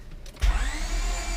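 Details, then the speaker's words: Honda J-series turbo engine cranked by starter during compression test with plugs removed, cylinder 4 tested; spins over much faster and unevenly with little resistance versus other cylinders; low compression in one cylinder. "see you hear that it just like almost like it's almost like it doesn't go uh no almost like it it doesn't stop it just keeps spinning where the other one's like just to continue the compression"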